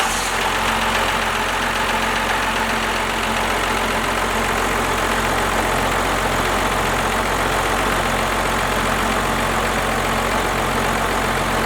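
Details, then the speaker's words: First-gen 12-valve Cummins diesel running with the valve covers off after valve work. A steady idle with a light, even valve tick over low clatter and no knocks; the valves are much quieter than before. "Guys, she is running fantastic. Sounds so much better than before. Quieted down the valves a ton."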